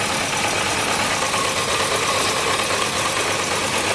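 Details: Yamaha Diversion, thought to be a 600, reportedly non-starting after a garage chain and sprocket job, fuel being drained from leaking carburettors; thin, ragged, stumbling idle, misfiring and not on all cylinders, possibly running on two, cause suspected, not confirmed.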